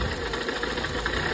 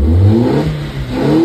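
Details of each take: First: Nissan Sentra ECCS, earlier crank-no-start, now running after fuel line pressure was relieved: uneven idle, stumbling beats over low rumble; dead cylinder from an oil-soaked spark plug. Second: ECCS Nissan Sentra that had a no-start, just-crank problem, now starting and running; engine revs up cleanly and drops back smoothly with no stutter, rev cut gone, revving freely.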